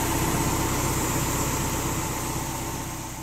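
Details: Car after a fuel injector leak repair, with fuel lines reconnected and no leaks seen: even, steady idle with a regular low pulse and no misses or ticking. Normal idle.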